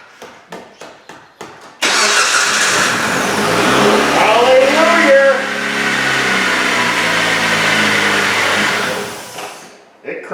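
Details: Jeep Compass after starter replacement: five quick clicks, then the starter cranks and the engine catches at once, revs up and holds a steady run before shutdown; power steering fluid missing, no power steering.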